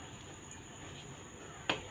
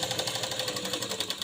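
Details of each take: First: Sewing machine after rethreading and reseating the bobbin case until it clicks firmly: light, even needle-mechanism clicking about three stitches a second, no knocking or grinding; earlier loud noise gone and stitching now proper. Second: Sewing machine stitching before the fix: harsh clatter about twelve stitches a second, suspected lint packed around feed dogs; the fix makes it quieter and run properly.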